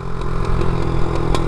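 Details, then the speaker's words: Chinese 50cc pit bike being ridden, carb possibly needing cleaning, leaks oil; small engine putter with sharp pops every fraction of a second, intermittent backfire coming from the front; cause unknown. "That's coming from the front. I have no idea what that is."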